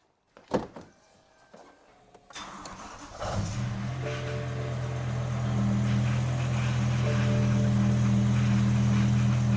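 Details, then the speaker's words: BMW M5 V10, just after a rod bearing service: it kept cutting out because the fuel pump fuse was refitted in the wrong slot. With the fuse corrected, it cranks, catches and holds a steady, even idle. "Well, it's running longer already. I think that was it."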